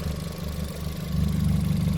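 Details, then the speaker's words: Ford Fiesta ST, misfire diagnosis by unplugging sensors (owner suspects faulty MAP sensor): idle changed on plugging back in but low lumpy idle still has a periodic stumble in the exhaust beat; misfire at idle. "Okay, there was a change in the idle plugging it back in, but there's still a misfire."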